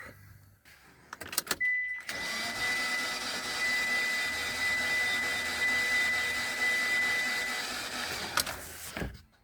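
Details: Mitsubishi cranking no start: steady starter whir about six seconds, engine cranks but never fires; PicoScope shows clean intake and exhaust cam and crank sensor signals, so those sensors are ruled out.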